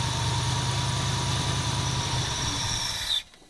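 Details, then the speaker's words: 1977 Ford F250 351M carbureted V8 with Duraspark II, warming up on choke, mixture screws 2 turns out: uneven lumpy idle stumbling about four times a second then stalling; owner suspects dirt in the carburetor. "So, it's exhibiting symptoms of which it had before, of a dirty something in the somewhere of the carburetor. Something's dirty, something isn't happy."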